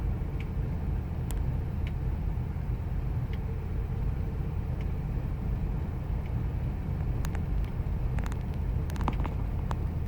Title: 2000 ford expedition 5.4 rough idle